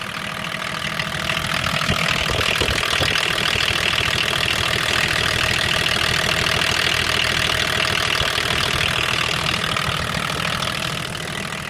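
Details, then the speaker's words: BMW 524td (M21D24 diesel) after valve adjustment for a loud valvetrain clicking, vacuum pump off, valve cover removed: steady idle with even, light clatter and no loud knocking as before; sounds settled and healthy. "sounds pretty good to me yeah doesn't really seem to have the loud knocking noise that was doing before"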